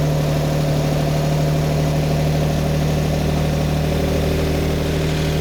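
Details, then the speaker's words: Lamborghini Miura V12 before carburettor balancing, just started: deep idle that lumps and stumbles instead of running evenly; the carburettors draw unequal air and are out of balance. "all right and again it doesn't sound too bad but it's it's lumpy it's not happy so I'm going to go around each Inlet and"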